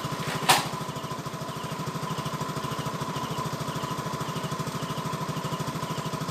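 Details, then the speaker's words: Yamaha Nouvo LC scooter after fixing throttle stumble and stalling: even, quick putter at a steady idle, no misses, surging or stalling; runs smooth and healthy. "như vậy là xe đã đấu khởi động lên được rồi và tiếng nổ nghe rất chi là êm"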